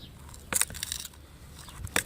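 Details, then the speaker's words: Rear strut of a Dodge Neon: the strut rod is loose and bounces up and down inside its separated top housing, giving sharp metallic clacks and rattles; the owner plans to weld it back in. "so this rod is moving around bouncing up and down in this housing making all that noise"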